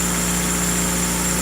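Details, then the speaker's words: Smooth, even idle with a steady hum right after starting the engine; the earlier loud ticking noise is gone and the valvetrain sounds quiet and healthy. "Oh my god, that sounds amazing. No more picking noise coming out of this guy. Sounds so good."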